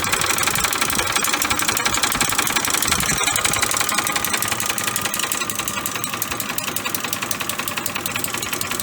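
Sharp, fairly even metallic knocking near three per second over a running V8, the hard rap of worn, scored crank bearings.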